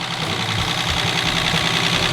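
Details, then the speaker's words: BMW E36 wagon engine on early runs after first start: quick, light, sharp ticking over steady idle, sounding like rod knock but actually bled-down lifters, quieting as oil pressure builds with revving; lifter tick. "if you probably 20 seconds ago in the video it sound like it had rod knock but it's literally just it happens every time on these damn Eng pre blood all these lifs"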